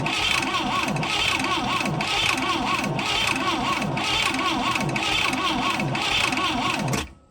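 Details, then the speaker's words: Boat engine not run in 15 years, new fuel filter fitted and fuel reaching the top: steady cranking about four beats a second, starter whirring evenly, never fires; owner wonders about a missed choke, suspects carburetor needs rebuild. "okay so at this point i gotta wonder what am i doing wrong am i not is there something i'm missing while i go to start the machine"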